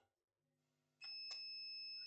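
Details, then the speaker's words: Acer Aspire E1-571 laptop motherboard with no power: multimeter continuity test drain to source gives a steady unbroken beep, showing a dead shorted MOSFET. "You hear the beeping of the multimeter? This is a dead MOSFET."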